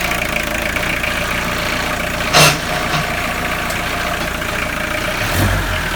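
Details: Tata Sumo direct-injection diesel after long standing, started after bleeding injectors: steady, even clatter at idle with no misses or stumbling; idling normally.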